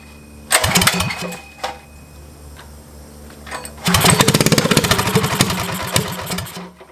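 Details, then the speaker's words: Motovox mini bike with Predator engine, abandoned outside two years, on first runs: catches in short ragged bursts, surges unevenly and fades; runs on choke but wants to die when choke is opened, so owner will richen the mixture screw. "oh all right so the problem that we're having now is the bike runs on choke but once you put it onto um basically take the Chuck off it want to turn off"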